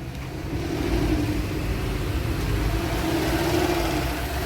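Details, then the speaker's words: 2013 Porsche Cayenne VR6 idling: rough, wavering idle, rpm hunting up to about 1500 and back with vibration, and rough gear shifts; no fault codes; caused by a blocked PCV valve. "المحرك كيفاش كيدير الفيبراسيون وماشي ثابت."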